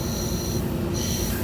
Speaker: So I'm blowing air in it and I'm hearing a hissing sound.